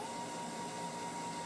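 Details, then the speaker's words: MDF CNC router stepper motor at full driver current: steady, strained high whine near 900 Hz over a rough hiss. Too much current; turning the current down makes the humming disappear. "so you can hear it doesn't sound too happy there got nice and quiet and that's full power there you could hear that was quite noisy and it was full power"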